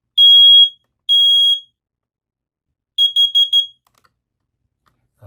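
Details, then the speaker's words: First Alert 2-in-1 wireless smoke and carbon monoxide alarm, battery-only, activated by twisting onto base: loud high piercing beeps, two long blasts then four quick ones, clear and strong; alarm works. "Of course, it has to be loud and it startled me. So that tells you when you twist and it makes that sound, it's been activated."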